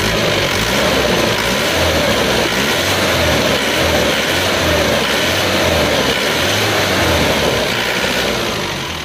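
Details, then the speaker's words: Isuzu Panther diesel after rebuild with custom cast cylinder liners and old shaft, revved: even clatter at raised revs, no knocking, misfire or surging, described as smooth, no smoke, oil filler cap fine; normal running. "untuk suara mesinnya seperti ini menggunakan liner cor dan sefer lama itu kita gas-gas ya."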